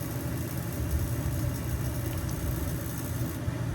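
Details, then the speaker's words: Home furnace after cleaning its flame sensors, which had caused it to shut off and power cycle: deep, even burner rumble holding steady with no cut-outs or restarts; flame lit and running normally. "और अपना काम हो गया boss. अपना काम हो गया boss, flame चल रही है। जैसे अभी तक आपको आवाज़ आ रही है, अपना यूनिट पावर साइकिल नहीं हो रहा है।"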